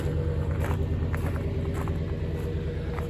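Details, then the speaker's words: 1998 Ford F-150 V8 yard truck after eight new spark plugs: low even idle rumble with steady firing, no misses or knocks; sounds good for an old truck; normal idle. "been using it as a yard truck. I think that sounds pretty good for an old truck."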